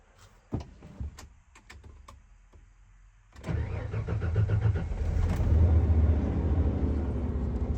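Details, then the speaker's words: 1994 Ford F-150 with 300 cu in inline six and five-speed manual, sat all night at 40°F: a few clicks, then it catches quickly and settles into a smooth, even idle with no misses or knocks; normal cold start. "Been sitting all night. It's 40° out. Got to get to school. See if it starts."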